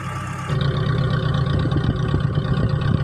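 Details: T120SS fuel-injected engine after overhaul for fouling spark plugs, high fuel use, weak power and white exhaust smoke; on test it catches and settles into a steady, even idle with low firm pulses, no knocks or misses.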